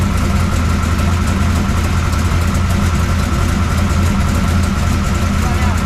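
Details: 1969 Camaro pro street V8 after Holley carburetor rebuild and ignition timing adjustment; steady, even low rumble with smooth regular firing beat, no knocks or misses; idles cleanly, valve lash still to check.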